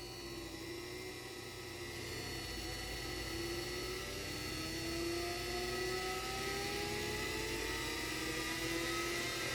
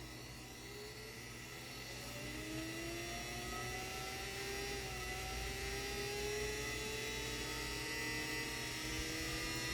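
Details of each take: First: 3D-printed axial-flux BLDC motor on an Arduino controller, first test run: rising, gliding whine climbing with motor speed over a whirring hum; the tone is the speed controller switching and it works well. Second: 3D-printed axial-flux BLDC motor on an Arduino controller, first run: smooth steady electric whine climbing evenly in pitch as it speeds up, somewhat noisy at startup, no knocks; running normally.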